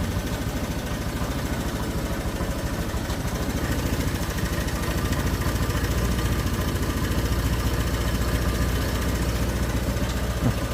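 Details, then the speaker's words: Honda Vario 125 scooter that stumbles on cold start and won't idle cold but runs normally hot: compression restored by flushing, throttle body cleaned. Low, even warm idle thrum holding steady without dipping or stalling after 3 minutes. "nah ini sudah aman nih Sudah 3 menit sudah enggak mati mati memang satu kali dua kali mati-mati kalau"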